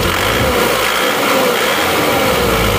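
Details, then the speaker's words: Isuzu Panther diesel with low-power complaint, tune-up after injection timing advanced about 1 mm: steady idle with a slightly rough but not harsh clatter and even beat; timing judged about right. "bunyinya tidak terlalu tidak terlalu halus tapi tidak kerang jadi saya rasa ini yang pas ini ya"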